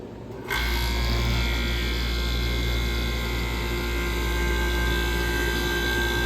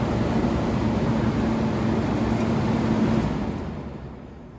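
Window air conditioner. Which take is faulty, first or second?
second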